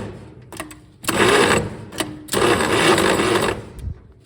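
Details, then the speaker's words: 1934 Plymouth Standard 6 with a rebuilt starter and gear spacers fitted: two short bursts of high free whirring with no engine turnover; starter spins, engine won't start. "And just won't do it. Will not do it."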